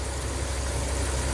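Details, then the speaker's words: Ram camper van with stalling after hot soak, minimum airflow test with IAC shut, coolant 150°F: low, steady, even rumble with no misses, surges or hunting, IAC steps under 30; healthy idle. "oh it's a thing of beauty look at those IAC steps less than 30. just perfect absolutely awesome"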